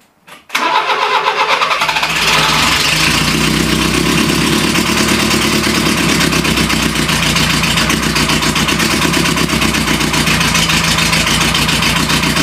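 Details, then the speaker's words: Renault Trafic van started after 23 years unused, with a homemade exhaust and a Renault Express choke cable: catches suddenly after hard cranking, then a loud, uneven, unsteady idle, spitting black smoke; the manifold smokes off moisture. Hard starting, runs rough. "C'est c'est pas dit que ça démarre parce que ça galère encore beaucoup à démarrer."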